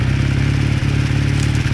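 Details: 1981 Kawasaki KZ440 twin idling during warm-up with a rapid, regular clatter over the exhaust note; the knock comes from inside the engine and its source is unclear.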